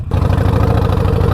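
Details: 2020 Harley-Davidson Roadster V-twin after repairing an exhaust leak from a disconnected exhaust flange with new flange nuts: loud, deep, loping idle with even pulses and no ticking or puffing; bike due for a service. Normal idle.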